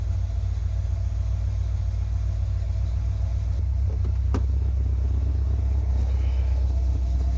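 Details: 1981 Chevy Corvette, brand-new V8 after electric fan, fuel line and filter, and spacer for overheating. Deep, steady idle with an even low rumble and no knocks, ticks or misses. Normal idle; owner suspects a bad thermostat.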